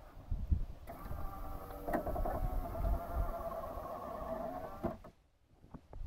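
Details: 1995 Land Rover Discovery power window after regulator spot-weld repair and greasing: steady motor whir with faint strain as glass runs down and up, slight binding heard; working acceptably after repair.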